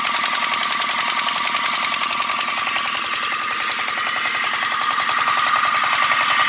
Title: Engine sound problem noiz problem fildmarsan..auto repair oshidur islam